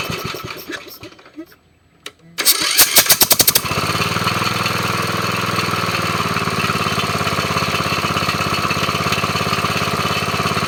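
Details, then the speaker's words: Briggs & Stratton mower engine, recovered from near a swamp and fitted with a chainsaw compression relief valve: short cranking with a few puffs, then catches and runs steady and even; may backfire slightly at shutoff. "sometimes when you cut it off you might hear a little backfire but uh this one's doing really good"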